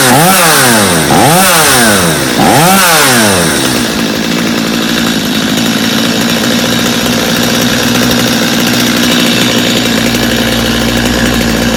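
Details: Customer's Stihl chainsaw after reassembly, original Bosch spark plug, started from full choke; three quick crisp revs rising and falling cleanly, then steady even idle; idle a little high but otherwise healthy, little carb adjustment needed.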